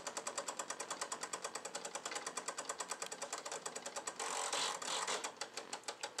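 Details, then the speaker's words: Hitec HS-7955TG digital servo in a Skymasters F4 sitting on the bench with no binding: quiet, rapid buzzy chatter about three times a second as the servo hunts around center. The owner asks if this is normal; the noise disappears with the model on its other side. "the chattering I'm hearing right now is that the servo kind of Center itself or is the chatter"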